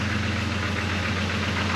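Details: Jeep with a missing fuel pump relay, running after an engine replacement: an even idle with a fast, steady knocking clatter running through it. This is an abnormal mechanical noise from the freshly installed engine, cause not yet known.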